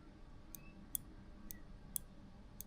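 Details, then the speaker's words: Slot-car lane changer: solenoid powered by the main controller pulls the trigger, tripping the micro switch for the polarity change; five crisp clicks about half a second apart, normal operation. "So, what happens is solenoid under here is powered by the main brain, which is over there. Can't see it. And it pulls the trigger, so it goes If you hear the click,"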